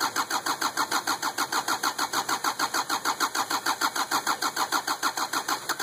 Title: 2550xp hard start